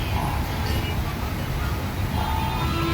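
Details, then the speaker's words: LG top-load washing machine with direct-drive magnetic motor, after board repair of LE error: low steady drive hum with faint traffic behind, no grinding or knocking; motor now runs normally. "ఇప్పుడైతే ఇది repair అయింది, మనం ఒకసారి check చేసుకుందాం."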